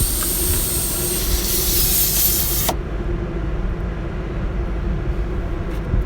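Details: Ironman 4x4 tyre repair: loud steady hiss of air escaping for nearly three seconds, then cutting off sharply; air leaking through a tyre puncture left by a screw, later reamed and plugged, hiss gone.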